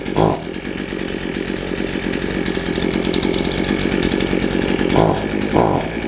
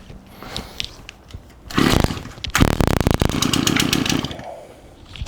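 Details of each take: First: Shindaiwa AH242 hedge trimmer two-stroke, brought in for only accelerating when choked, started on choke and warming up: buzzes at a steady, even speed with quick throttle blips, picking up cleanly; normal running. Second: Shindaiwa AH242 hedge trimmer, received with no gas and gummy purge bulb, loose exhaust housing: brief buzzing run that flares, sags and dies; won't stay running, later judged a fuel delivery fault.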